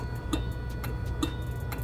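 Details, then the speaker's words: Car that won't crank, heard with a screwdriver held to the starter while the ignition is turned: faint sharp clicks about two a second over a low hum, with no cranking, a failed starter. "So, I'm putting the screwdriver up to my ear, and I can hear the starter actually clicking now."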